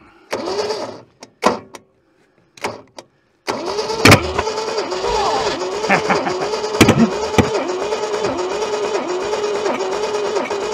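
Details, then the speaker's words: Long-abandoned junkyard Holden; fuel poured into carburettor main jet as accelerator pump not squirting; short starter bursts then long slow uneven cranking with a couple of sharp pops, never catches; owner suspects flooding. "I think she's flooding. Yeah, that's it looks pretty flooded to me. Yeah."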